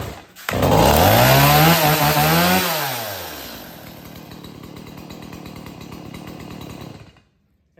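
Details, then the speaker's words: Stihl MS180 chainsaw, owned four years and unused for two or three days: fires on the pull, revs high, then settles to a steady idle before shutting off. It starts easily and runs cleanly, and it starts the same way in winter. "I have it started in two or three days and it starts like that in the winter time"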